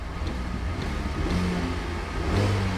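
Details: Salvage auction car with the check engine light on and working ice-cold air conditioning. Deep, smooth exhaust note climbs and falls cleanly with the throttle, with no knocks, misses or rattles. Normal, healthy revving.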